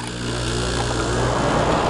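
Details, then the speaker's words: White Consolidated Industries air conditioner, older unit: steady quiet low hum with smooth fan rush, no rattles, knocks or squeals; running normally. "once again you can hear how quiet these things are these little wci you know white consolidated"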